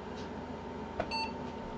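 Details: Socket 7 PC with AMD K6-233 after adding RAM to 128 MB, previously failing to POST: single short clean beep over quiet room hum, normal power-on self-test pass.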